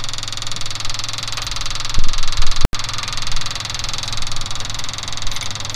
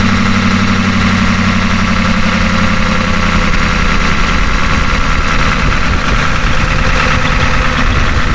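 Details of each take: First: Ford F250 6.9 IDI diesel after injection pump replacement, injector lines only snugged loose for bleeding: loud, lumpy, uneven chug, some cylinders missing, others catching; air still in injector lines. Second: Ford F250 with a 6.9 IDI diesel just after injection pump replacement: deep, steady clatter settling into an even idle with no misses or odd knocks. There is a slight idle surge, which the owner thinks may need more fuel cycles.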